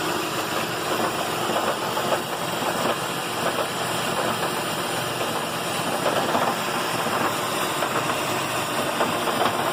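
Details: 2008 Lexus RX 400h, warm petrol engine idling in P after stopping, until it shuts off by itself: fine busy rattle over a steady hum; also occurs at lights in D and on cold starts.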